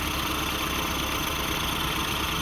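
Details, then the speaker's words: 1988-97 Nissan D21 Hardbody idles smoothly after AC pulley replacement, steady hum with no belt or pulley squeal; previously squealed badly on startup. "All right, guys. Here we go. No squealing. That's what I like to hear."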